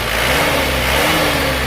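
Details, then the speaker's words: Isuzu Panther diesel after engine rebuild (new liners, rings, pistons, clutch, seals, hoses) following coolant loss: smooth, even idle rising gently on a light rev, no knocks or misses; normal. "ini mesinnya sudah hidup suaranya seperti ini ya ini tergolong halus banget seperti baru suaranya ya"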